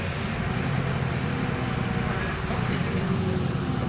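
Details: Bus AL DW447 on route 269: steady low diesel drone under road noise with a faint rapid exhaust chuffing pulse; suspected leaking exhaust joint, not confirmed.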